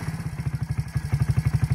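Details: Suzuki ATV after carburettor replacement, first start-up: steady, even putter at about ten firing pulses a second, no misses or surging; engine idles cleanly and runs healthy.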